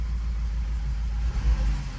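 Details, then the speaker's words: 2012 Audi Q5 2.0T, 103,000 miles, heavy oil burner puffing blue smoke; deep uneven idle rumble with lumpy stumble, engine shaking and bogging, flashing check-engine light, misfire codes cylinders 1 and 2 returning despite new spark plugs and coil packs. "It started bogging again. So let's go ahead and start it up so you guys can see what I'm talking about. I don't know if you guys can see, but it's shaking in here."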